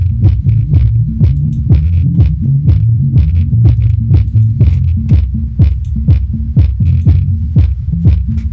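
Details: HK Audio Polar 8 sub/bass speaker run alone with the top section disconnected: deep bass thumps about twice a second with a buzzy, clicking rattle on each hit. Speaker suspected rather than the amplifier, possibly something loose, an overdriven driver or a damaged cone.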